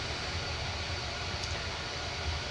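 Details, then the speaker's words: Diehl 52-inch antique ceiling fan, late 1920s–early 1930s, worn motor shaft, filled with about three ounces SAE 30 oil, running on low speed: steady low hum under blade air rush, the buzz of the speed coil atop the motor; furnace audible in background. "you can hear the buzz and also the furnace in the background it is a speed it uses a coil for speed speed coil"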